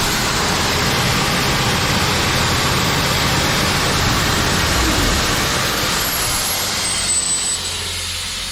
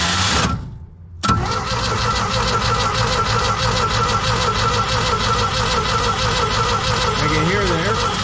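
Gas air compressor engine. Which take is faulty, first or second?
second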